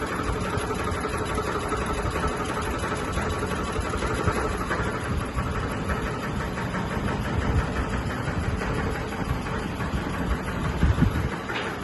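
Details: Sony ceiling fan, 2022 model, at full speed: loud, steady drone with a rattly, shaking undertone at constant speed, wobbling and vibrating, cause unclear. Fan wobble and vibration.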